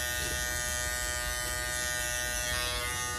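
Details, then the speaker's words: Andis GTX-EXO T-edger clipper after replacing the broken blade-holding bracket, blade gap gone: steady, even high buzz without stutter or dropouts, motor and blade running smoothly; normal running. "yeah buddy things running smooth too back in the game and we back in the game clipp it back to where it need to be the blade back to where it needs to be"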